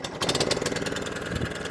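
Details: Hayter Ranger 53 mower saved from the dump because it won't reach full revs: the single-cylinder engine chugs at a low, uneven speed and never climbs; the throttle does nothing, and carburetor work is suspected.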